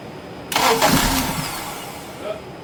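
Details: 2007 Acura TSX, just towed in with a dead battery on a charger, oil level fine: a short burst of starter cranking that never fires and fades off; crank, no start, not the suspected alternator.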